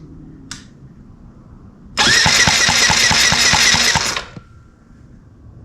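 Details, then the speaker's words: 1985 Yamaha 880cc four-stroke restoration engine, first cranking after install, spark present: starter spins about four even turns a second, no firing, no compression; cam sprocket a quarter turn off timing, fuel spraying back out of carburetor. "I think that's why we're not getting any compression at all I think that's why we've got gas spraying out of the carburetor instead of going in"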